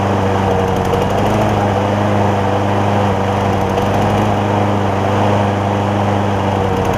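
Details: John Deere JA60 push mower, after freeing a stuck valve, with the carburettor jet opened to 9 thousandths: steady, even single-cylinder running with a slightly soft, lazy note. It is no longer lean but a touch rich; an 8-thousandths jet is planned next.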